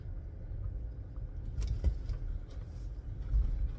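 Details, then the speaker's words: 2017 Chevrolet Bolt driven after the rear hatch latch was opened, closed and worked: only a soft low road rumble over bumps, with no creak or tick from the rear. The rear creak was traced to the hatch latch, not the bump stops. "Nothing. That's better. Silence. Oh, that's all it was. It's just the locking mechanism, the bolting mechanism, the latch."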